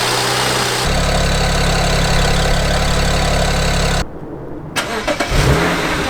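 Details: 2007 BMW 335i N54 after twin turbo replacement; the old turbos had rattled like a wastegate and lost all boost. Now fitted with VRSF downpipes and outlets and new inlets. Quick crank, catches, then settles into a smooth, even idle with no misses, knocks or rattles.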